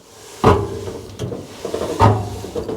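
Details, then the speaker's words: Heavily used Indesit IDV75 tumble dryer from a communal laundry, drum turned by hand: a hollow knock every revolution from a failed rear drum bearing. "Now, what apparently is happening when this is turning, it's making a knocking noise."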